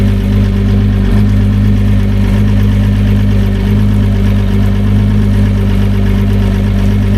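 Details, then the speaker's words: Newly fitted repower outboard, replacing an old 250HO Etec, idling at 500 revs with 14.3 volts showing, burning XD100 oil: an even low burble, steady and smooth with no knocks or stumbles; a healthy warm-up idle. "Well, she runs. What do we got here? What do we got? 500 revs."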